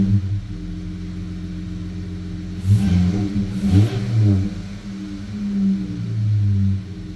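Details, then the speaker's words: 2015 Dodge Challenger after a PCM swap and Diablo i3 tune: deep V8 burble with two quick light throttle blips, the car rocking slightly, intake air rushing audibly, and a clean return to idle; throttle response is normal. "The car's rocking a little bit with just light throttle pressure, so I like that."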